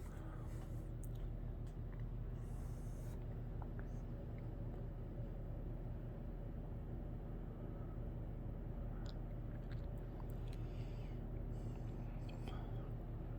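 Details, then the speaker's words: 1990 Halsey-made Wholesale Merchandisers Seville 52" three-speed reversible hugger ceiling fan, 12° blade pitch, on medium: steady low hum, slight installation hum, no bearing noise, no ticking or grinding; whole-house fan drones in background. Normal running. "I think this fan does have a bit of home to it which is going to happen on this installation here but other than that it's pretty quiet no bearing noise has a pretty average low speed"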